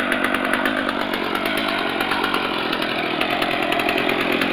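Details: Stihl MS250 chainsaw with 18-inch bar, after cold start, chain brake on: steady high-pitched two-stroke buzz holding an even speed without stumbling or dying. Normal healthy running.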